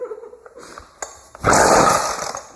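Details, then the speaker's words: Weed Eater string trimmer after fuel line replacement, half choke: weak uneven sputter at idle nearly dies, rough burst with throttle held; idle likely too low, mixture screws need adjusting; won't hold idle, stalls. "come on the idle might be a little bit low so I'm gonna hold the throttle come on I know you want to [Laughter] I don't think he's gonna want to keep running though"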